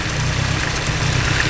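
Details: Turbo petrol engine with an eBay turbo kit, idling: lumpy, slightly uneven idle with a pulsing low rumble; base timing was at 25 degrees instead of the 15 BTDC spec, and resetting it with a timing light smoothed the idle.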